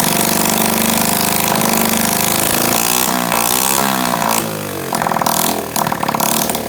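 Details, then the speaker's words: Honda SL70K1 that had a small fire under the tank, first start with fuel leaking: the small single revs unevenly, spitting and stumbling with dips in speed. Owner says the carburetor needs cleaning. "so well obviously the carb needs to be cleaned uh kind of spitting and sputtering a little bit now"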